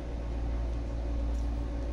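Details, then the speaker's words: Carrier window-type inverter air conditioner with an E1 error, after the shorted IGBT/MOSFET (part G30T60) was replaced: compressor running with a low even hum and smooth airy rush, no knocks. Normal running after repair. "Ayan, gumagana na yan. Tingnan natin kung gagana. Pag nag-blink na mabilis yan guys, ibig sabihin gumagana na yung ating ano, compressor."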